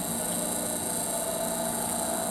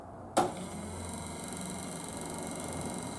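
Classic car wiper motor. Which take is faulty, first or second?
second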